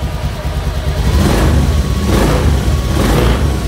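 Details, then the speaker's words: Honda Vario automatic scooter after fixing intermittent brebet (stumble) by replacing the fuel pump rotak with an MST part: engine idles evenly with a steady low hum and picks up cleanly on short throttle blips. "Tuh teman-teman, suaranya juga enak ya, dengungannya juga pas. Teman-teman, langsamnya enak ya."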